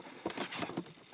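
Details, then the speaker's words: 2007 Peugeot Partner 1.6 HDi (9HXC, 90 bhp, ~102,000 miles) dashboard trim after refitting a new trim for rattles: only soft finger rubs and light taps, no rattle or squeak. "and you can't really hear, and I'm moving quite a lot, only my fingers on the dashboard, but that does not produce a single sound."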